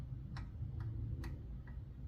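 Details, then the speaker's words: Honda GCV190 engine, stopped, valve cover off at top dead centre, rocker arm rocked by hand: sharp light clicks showing excessive valve lash on both valves, to be reset with feeler gauges. "so we can check the valves and see if they're loose you hear that oh yeah"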